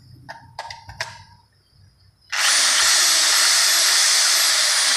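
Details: Electric drill that customer said would not turn on, after wiring checked with multimeter and reassembled: motor spins up instantly to a smooth, steady high whine with no cutting out or stutter; running normally after repair.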